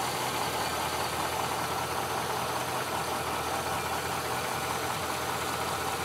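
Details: 2006 Chevrolet Silverado Z71 V8, reported for a clunk when stopping and a noise under hard acceleration, idling partly warm: steady, even, smooth low rumble with no rattles or knocks; nothing alarming heard. Normal idle.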